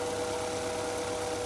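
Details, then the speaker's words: 1999 Acura Integra 1.8 L DOHC petrol engine, after repairing vacuum leak behind a vacuum valve that caused high idle and check engine light; rpm back down to normal, smooth even idle with no intake hiss. "see now rpm is down where it's supposed to be and I don't hear that hissing sound now"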